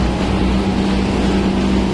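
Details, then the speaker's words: AC outdoor unit after new 60 µF compressor capacitor fitted: compressor and fan motor running with a steady, even hum, constant low drone and smooth fan rush, no clicking or cycling; normal running. "কমপ্রেসারের sound আসতেছে। Compressor চলতেছে। Fan মোটরও চলতেছে।"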